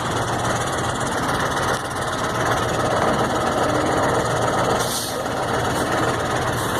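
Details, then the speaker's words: Mercedes-Benz MB 1634 diesel truck on road test right after differential reassembly: steady drivetrain hum with no clunk or whine as throttle comes off, where it previously roared badly only off-throttle in gear; noise gone, differential now normal. "i a menino acabou o barulho acabou aquela barulheira acabou o barulho linda agora"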